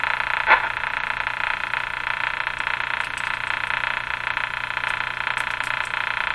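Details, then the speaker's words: 1935 Rogers Model 7R622 tube radio during alignment with the signal generator hooked up: a harsh, steady buzzing tone with a fast rough flutter, plus clicking from interference; the test signal is being received. "signal generator got through all hooked up here so as horrible as that sound is it's a good sign the clicking sound is also interference here in my shot"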